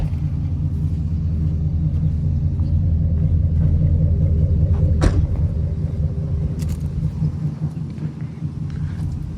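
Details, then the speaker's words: Used 6.0 diesel, said to have about 150,000 miles, restarted after a power steering leak sprayed fluid; quiet, low, even rumble with steady beat, no knocks or misses, a normal healthy idle. "Started it up again. It sounds pretty quiet."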